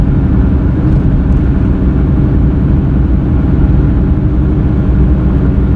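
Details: Car driving through turns, loud on left turns: deep steady helicopter-like roar holding with road speed; persisted after replacing the front left wheel bearing, traced to a defective tire with a soft, dipped spot.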